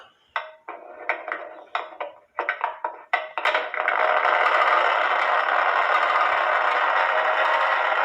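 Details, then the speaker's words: Eli Terry groaner clock, wooden movement on the stand with beat amplifier on; a few sharp ticks, then the steady scraping groan it makes when it goes to strike, which is normal for this clock and gives it its name. "Granted, the beat amplifier was on, but that's why they call it a groaner clock, because the groaning noise that it makes when it goes to strike."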